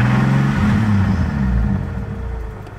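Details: 1990 Toyota Supra 7M-GTE, rebuilt by a previous owner, head gasket since replaced but bottom end untouched: a deep thumping knock at idle that appeared suddenly on pulling away; rod knock is suspected but not confirmed.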